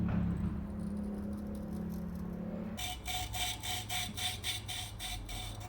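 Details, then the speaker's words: Lapping an intake valve with grinding compound on a 1992 Yamaha Virago 1100 cylinder head: gritty back-and-forth scraping about four strokes per second, starting rough and rising in pitch as grit breaks down and the seat smooths. "You can kind of listen to the pitch of the grinding compound changing as you go. So it'll start out sounding pretty rough, like that. And then as you go, you'll hear it increase in pitch, and that's the grit in the compound breaking down and getting that seating surface smoother and smoother."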